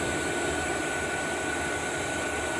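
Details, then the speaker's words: Diesel heater on 100% biodiesel, shortly after start: constant burner roar with thin steady fan whine, no surging or sputtering; self-sustaining combustion. "so we're 3 minutes in and it's definitely warming up the glow plugs off so the unit is uh sustaining itself and it is firing up initially and it's sustaining itself on 100% biodiesel"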